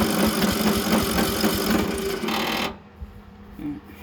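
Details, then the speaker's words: Briggs & Stratton riding mower engine with a bad carburetor ("Nicky", no fuel solenoid) and varnished old fuel: fast rhythmic cranking with a few ragged catches, then cuts out; fires briefly but won't keep running. "We're back on this whole, I ain't got no good carburetor on it. It's a Nicky with no fuel solenoid, which is crazy."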